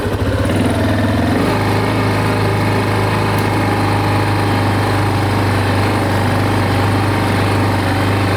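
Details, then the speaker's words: Big Bear 400 ATV just fitted with an aftermarket muffler replacing the stock one with a loose broken baffle, started on choke: steady, even low thump at idle with no knocks or exhaust rattle; very quiet. "Hey, we got her going now, boys. So quiet."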